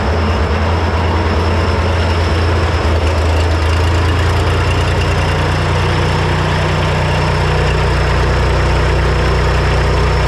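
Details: Three-cylinder Kubota diesel repowered into a Melroe 610 skid loader, first fire-up: catches and settles into a steady low idle with even rumble, no misfire or knock; ran once the reversed fuel shutoff solenoid wiring was corrected so fuel reached the injectors.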